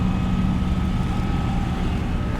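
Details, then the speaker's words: 2009 Ford Crown Victoria police car, listed as non-runner, started on a jump: deep, even, quiet engine drone with no knocks or misses; runs well. "And there you go, boys, she runs. I knew this thing would run. It runs good too. It runs really, really well. She is quiet."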